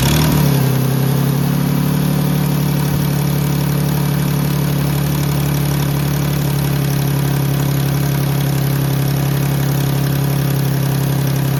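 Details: 2010 Jeep Grand Cherokee 3.7 at idle: strong, even low drone with an odd noise seeming to come from the intake, mainly driver's side; owner says not valves or PCV valve, and smoke tests through intake and exhaust found no leaks.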